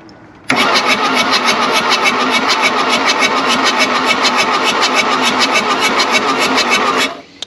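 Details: 1979 VW Mark 1 Rabbit diesel abandoned 30+ years, injector lines cracked loose: even, brisk cranking at about three and a half compressions per second for six seconds, steady and unstrained; good oil pressure and injectors pushing fuel, turning over fine.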